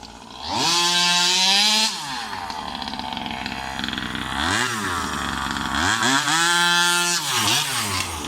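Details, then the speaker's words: New Rovan 36cc double-ring two-stroke in a King Motor Baja 5B, first hard runs: climbs lazily off idle, won't spin off the line, then screams in repeated blips; leaner made it worse; low-end bog from low compression, squish too wide. "So, first impressions, not that good. That really didn't pull well at all."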